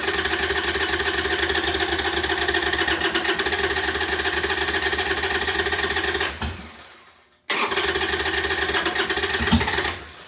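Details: 1998 Harley-Davidson Sportster unstarted over a year, stale gas, dirty fuel filter, new lithium battery: strong fast cranking about four beats a second, pause, more cranking without firing; owner suspects stale fuel.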